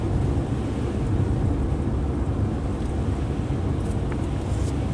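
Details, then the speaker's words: 2009 Subaru Outback after front wheel bearing hub replacement, coasting in neutral: only even low road rumble and wind, no hum or growl rising with speed; the earlier noise at 45–50+ mph is gone, bearings quiet. "well our wheel bearings are as smooth and quiet as can be and I'm not getting that strange noise"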